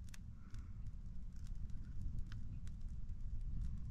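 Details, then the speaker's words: Sand battery core heated by a new 240-volt element on 850 W of solar, at about 475–530°F and climbing: quiet, irregular sharp pops and crackles over a low rumble. Cause of the popping unclear. "I can hear it popping and stuff hope everything holds up okay"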